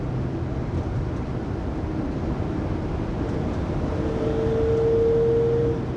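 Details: 2020 Pleasure Way Plateau FL (2019 Sprinter 3500XD), recorded in cabin by phone at 80–90 km/h after differential replacement: steady road roar with thin whine building near end and holding; driveline whine, source not pinned down.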